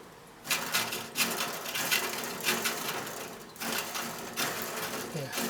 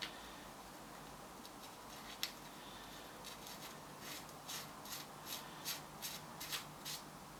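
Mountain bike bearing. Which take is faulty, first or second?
second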